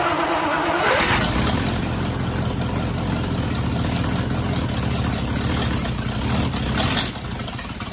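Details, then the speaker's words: Ford Y-block V8, garage rebuild with a rehone, first start after fixing plug wiring and TDC errors; cranks briefly, catches and settles into a steady even idle with a firm low rumble, running normally though still needing tuning. "so I just wanted to see if I could get it started really happy it actually sounds really good for a you know a garage build"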